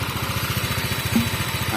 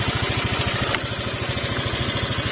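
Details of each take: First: Honda Vario 125 Techno water-cooled scooter after repair, fully warm after about an hour of idling with no steam or boiling: even, steady idle pulse with a light hiss on top and no misses; settled and healthy. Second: Honda Vario 125 Techno water-cooled scooter whose coolant boils, with a red warning light: rough, uneven idle with a loping pulse and irregular firing after a blip.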